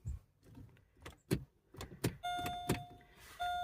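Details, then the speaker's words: Pontiac G6 GTP, key on: scattered clicks and a warning chime as the cabin comes alive, but no signal to the starter, which never engages; engine doesn't turn over, cause not yet found. "I got no uh no signal to the starter. So, yeah, no signal to the starter."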